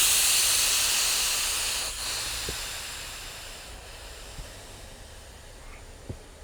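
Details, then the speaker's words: Subsalve EFB-500 enclosed lift bag (500 lb), fully inflated by air manifold to clear trapped water: a steady airy hiss slowly fading as the overpressure relief valve vents excess air so the bag doesn't rupture; normal. "So what that you hear that's still hissing is the overpressure valve. It's designed to vent pressure at a certain point so that it doesn't rupture the bag."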